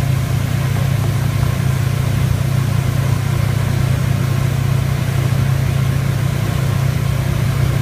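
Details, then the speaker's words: Rotec R3600 radial engine in a new test booth, running at about 18 in manifold pressure, mixture leaned to about 8–9 L/h fuel flow; deep, steady drone with even firing, no misses or knocks: normal running. "so right now at the moment we're running at about 18 in of pressure manifold pressure"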